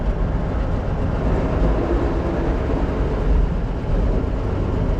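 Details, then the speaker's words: International truck after rear axle bearing work, driving a bumpy dirt track: steady low road rumble, no whine or growl from the rear axle; earlier rumble gone, repair successful. "now this little dirt thing is a little bit bumpy everything together back there and it's not making any weird noises oh it feels as good as it ever has it doesn't have a lot of the Rumble that we noticed before which is a good sign"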